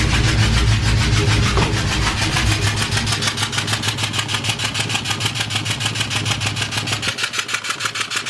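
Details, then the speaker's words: Ford Mustang that began sputtering while driving, no engine codes: loud sharp ticking about three times a second over a rough idle, compression escaping from a blown-out spark plug. "is making like this loud tapping noise so wherever i put my scan to what there it is sounds like there's compression being pushed out somewhere in the mirror like a vacuum again or maybe a spark plug popped out"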